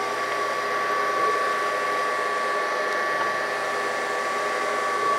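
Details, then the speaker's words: Brown & Sharpe 618 Micro Master surface grinder after topping up hydraulic oil and running 3–5 minutes to circulate: steady hum with constant high pump whine, no surging or jerking; table hydraulics now smooth and quieter. "No, that is working like it should. I fully expected that to do nothing to the hydraulic."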